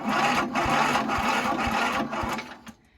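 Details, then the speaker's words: About 55-year-old Montgomery Ward lawn tractor, in neutral with the blade off and full choke, battery charged with a marine charger. The starter turns over slowly and laboriously without firing, lacking power. It fires shortly afterwards. "Doesn't have quite enough juice to be cranking over, but let it get some fuel down there and it should fire right up."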